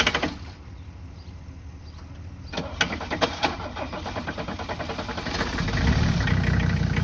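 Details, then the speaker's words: 1985 Mercedes 300D diesel, started on a swapped battery with starting fluid: slow cranking chugs, catches after a few seconds into a loud harsh clatter; runs noisy, smells of old diesel, zero power when driven. "Well, it's kind of noisy. It runs. It smells like old diesel fuel."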